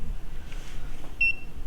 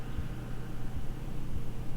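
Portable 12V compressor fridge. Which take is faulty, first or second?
first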